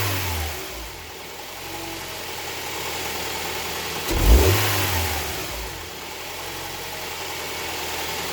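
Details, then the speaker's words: Honda Prelude 2.2L being checked for oil leaks; clean idle then a quick rev rising and falling smoothly with no knocks or misfires, firing order sounds nice, normal running. "So you can hear that firing order is nice, works."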